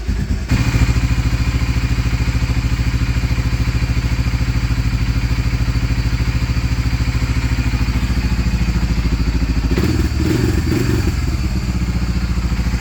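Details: Honda Fortrax 300 ATV, previously a no-start, warmed up after adjusting idle RPM and fuel-air mixture: steady, even single-cylinder idle about three and a half beats a second, no stumbles or misses; running properly.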